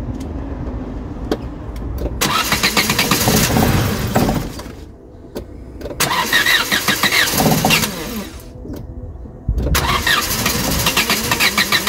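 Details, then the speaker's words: Vauxhall Cavalier Mk2 after fitting a new distributor cap and rotor arm (previously hard starting and missing until warm): engine catches readily in three loud revving bursts with quieter gaps, no missing; normal start. "Rightio, let's see if it fires up now with the new cap and rotor arm. It should start a bit easier now, so fingers crossed."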